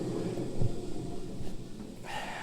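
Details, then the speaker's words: Worn idler pulley on a used commercial zero-turn mower, spun by hand: low, gritty, uneven dry rumble from the bad non-replaceable bearing, compared afterwards with a quiet new pulley; idler pulley bearing rumble. "the other man those are going to be noisy"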